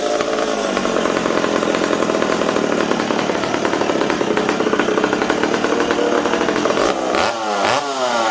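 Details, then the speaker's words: McCulloch Super Pro 70 chainsaw on the bench holding a high, even scream, then sagging and wavering before picking back up as the intake boot is sprayed. The engine stumbles; an intake air leak is suspected. "ah hold on here brad well i think we potentially have an intake leak did you hear it stumbling there"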